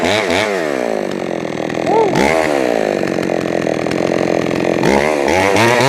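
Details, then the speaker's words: Jonsered 525 chainsaw being tuned: revs rise and fall, stumbling and hesitating as it drops off throttle. The low-speed mixture is too lean, so more low-side fuel is being added. "mmm leave the way that it hesitate off the throttle that tells me that it's got uh it's too lean on the low side so I'll give it a little bit more fuel on the low side"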